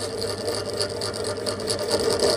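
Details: Pedestal stand fan brought in for loud noise, before repair: loud steady whir with a fast rattly buzz and faint hum underneath; loose motor bearing, later fixed without replacing the bearing.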